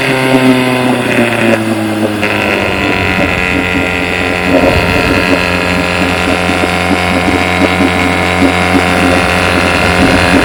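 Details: 1959 5.5 HP outboard motor in a barrel test, carburetor dialed in, silencer not yet refitted; smooth, even two-stroke buzz at steady speed, no misses, knocks or surging, running like new.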